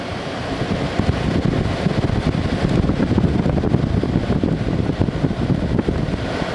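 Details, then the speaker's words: 2017 Arctic King 10000 BTU air conditioner, dented but blowing very cold, compressor type unknown: steady rushing airflow over a low even hum, no rattles or squeals; normal running. "Don't know what compressor is in here. It sounds good."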